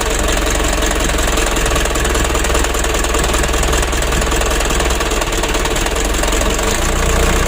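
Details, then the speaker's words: Mitsubishi Ragasa 120 PS diesel truck engine at part throttle, heard with the cab raised: uneven lumpy knock and rough shaking that reaches the cab, worsening as the engine gets hot; suspected injector nozzle or Bosch pump plunger setting. "nah seperti ini teman-teman kalau kita gas tanggung serasa pincang atau bergetar mesinnya ya"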